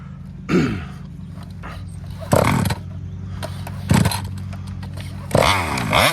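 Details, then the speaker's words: Kraken Vesla .5 with 35cc Taylor reed two-stroke engine: revs rise in short bursts, then sag and fall away, won't come on the pipe; acts like it's starving for fuel at high RPM, owner suspects the carburetor, with a plugged screen suggested by someone else. "cuz it it high RPMs it acts like it's starving out for fuel so"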